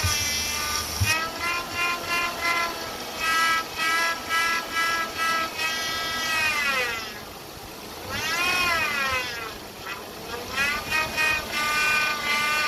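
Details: 2008 Chevy Impala 3500 V6, noise persisted after power steering pump replacement, air bubbles in reservoir; whining tone rising and falling with each rev, air suspected sucked in via return line or pump front seal; power steering whine from aerated fluid.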